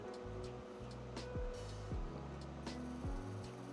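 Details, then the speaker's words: Original Xbox DVD drive in a 1.4 GHz CPU console, tested with a disc inserted upside down: motor whirs up in short rising sweeps with clicks, seeking repeatedly but never reading; disc not recognized, fix unknown. "o and no your Xbox can't this can't be recognized so same thing um not sure what else to try"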